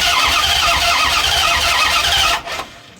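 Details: 1993 Dodge Ram D150 with 5.9 (360) Magnum V8, which died while running and has sat for months. The starter churns steadily at about four beats a second for two seconds; the engine never catches. Voltage reaches the coil, but there is no control pulse: crank, no start.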